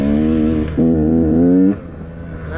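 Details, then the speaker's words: 2017 KTM 150 XCW two-stroke with Lectron Billetron carb, during tuning after leaning power jet: revs up with buzzy rising note, then falters and drops back unevenly; still stumbling, suspected metering rod setting. "Still stumbling there."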